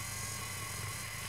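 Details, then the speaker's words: Motorized DSLR camera dolly/slider (Banggood) during a tracking move: steady thin high squeak over a low constant-pitch motor buzz; slight squeak from the drive motor, normal small noise that a camera mic will record. "vous vous entendez ça couine un peu ça c'est un scoop du moteur"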